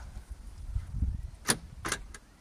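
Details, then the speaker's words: Land Rover Discovery 3 tailgate lock solenoid powered by touching the switch wires together to bypass a failed tailgate switch: two sharp clacks as the solenoid throws the lock cleanly. Wiring confirmed good. "so in fact we can do it without the switch just by touching these two wires together we should hear the solenoid"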